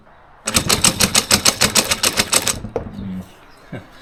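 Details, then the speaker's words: Starter motor off a David Brown 990 diesel tractor abandoned 20 years after tipping over while running, reassembled and bench tested: rough uneven whirring chatter about seven pulses a second, stops after two seconds; worn commutator needs the lathe. "Something's still not right there. that comm needs to be put in the lathe, so I'll put that aside for now and work on that later."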